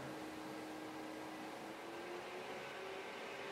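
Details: DIY temperature-controlled fan for an IMAX B6 charger, built from recycled parts: steady fan whir whose pitch slowly climbs as heat is applied to the sensor, voltage rising to 12 V; fan speeds up smoothly and works normally.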